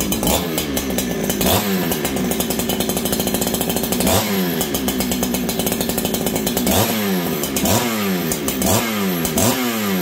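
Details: Ported Farmertec 288 kit chainsaw with a lightweight piston and a free-breathing pipe. It repeatedly snaps from idle to a high scream, climbing quickly and cleanly each time; strong, healthy throttle response.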